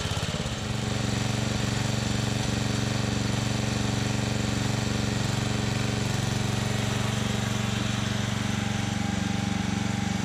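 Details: Free, scrap-listed older Simplicity 4208 riding mower, thought late 70s/early 80s, started to test transmission and blade engagement: cranks and catches within a second, then a steady, even single-cylinder putter with no misses or knocks; runs healthy.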